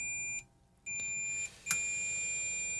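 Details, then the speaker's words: Removed switching FET from a Yamabishi SF-PW switch-mode power supply (FREQROL-SF CNC drive) on continuity test: beep sounds, cuts out twice as the probes shift, then holds steady; gate lead shorted, oscillator board likely damaged too. "Yeah. So, the gate lead is definitely shorted. This thing is uh this FET is definitely a jumper now."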